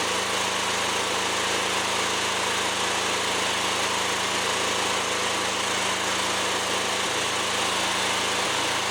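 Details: Fairly new single-cylinder lawnmower run with the mower deck off after checks: steady running, two brief stumbles near the end; intermittent misfire, choke clears it, owner suspects a fuel problem.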